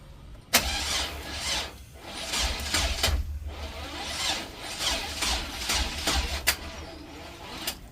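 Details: Chevrolet Express van, smoke seen while cranking, part replaced: starter whirs in repeated bursts with hissy rises but engine never catches; crank no start, owner suspects distributor.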